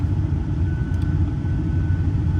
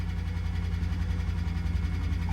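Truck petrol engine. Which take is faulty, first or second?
second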